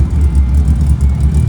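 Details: 1978 Datsun 280Z at first start after a new L28 engine install: a low, uneven, lumpy idle that hunts instead of settling. Rough running; the owner suspects timing, the distributor, fuel injection, the tune or the fuel pump.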